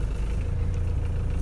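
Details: Ford Transit Mk6 in gear after replacing the prop shaft bearing for an MOT failure: a steady, smooth low drivetrain rumble under load with no knocks, whine or grinding; driveline sounds normal.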